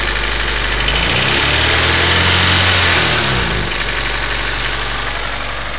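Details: Honda EF sedan D15 engine idling with a quick, even tick about four times a second over a loud hiss; owner unsure whether it is lifter tick or knock.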